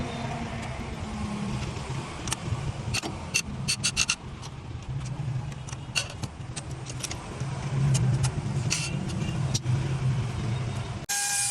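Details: 2005 Ford Escape: starter cranks steadily about three turns a second with jangling but engine never catches; cranks but no start, suspected faulty valve in combustion chamber.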